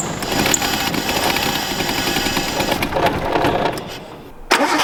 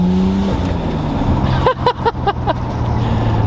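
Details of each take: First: Imported Nissan R32 Skyline RB25 with a new MaXpeedingRods turbo, first start attempts: the starter churns and the engine catches briefly, then stumbles and dies. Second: Nissan R32 Skyline with a new MaXpeedingRods turbo on its first drive after warm-up: the engine note drops off throttle, then quick sharp whooshing chirps follow as a healthy dump valve vents.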